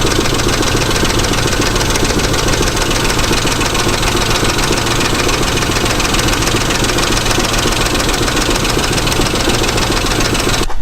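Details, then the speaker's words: Engine idle: loud, busy idle with loose tapping about three to four per second from the valvetrain. Owner suspects the hydraulic lash adjusters (16 total) need replacing. Ticking at idle, cause unconfirmed. "Alright, after an hour better is sitting, it seems like, yeah, it seems like we're going to have to change out the hydraulic lifters."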